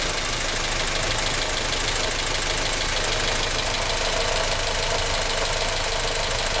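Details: 1996 Australian-delivered Honda Civic EK Cxi, D16Y4 engine, at idle: fast, even light tapping from the top right-hand corner of the engine; cause not pinned down.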